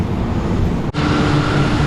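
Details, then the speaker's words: 2004 Mustang at idle after new spark plugs and wires, fixing a rough-running misfire and check engine light: steady, even, smooth low rumble with no skips. Normal idle after repair. "Alright, Mustang purring like a kitten."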